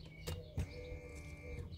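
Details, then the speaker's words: Ignition switched on in a diesel vehicle: a click and clunk, then a thin steady electric whir as the fuel pump runs dry without pressurising the diesel. "elle faisait que des bruits comme ça voilà sans compresser le gasoile"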